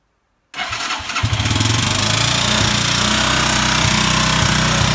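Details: Chinese motorcycle with a 162FMJ pushrod engine, bought already knocking: fires up and settles into a fast idle with a sharp, steady knock about four times a second; owner asks what the knock is, cause unknown.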